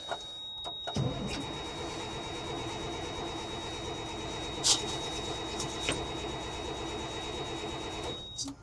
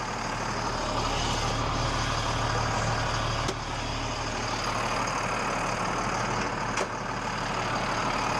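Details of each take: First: 8.3 Cummins diesel military truck sitting for years, cranking after priming lift pump and injection pump: steady starter drone for seconds but never fires; crank no start, owner suspects more fuel priming needed; it later briefly caught. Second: Military truck (8.3 Cummins diesel, FLU419 Unimog/Stewart & Stevenson fleet) left sitting for years, started after priming lift pump on a temporary battery setup: deep even rumble with brief ticks, running normally after storage, brakes being freed.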